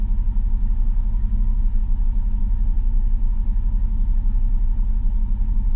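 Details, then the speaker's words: 2000 Chevrolet Silverado just after starter replacement, battery disconnected overnight: low, uneven idle rumble that dips and surges as if about to stall; idle-relearn suspected, not confirmed. "still sounds like it wants to stall"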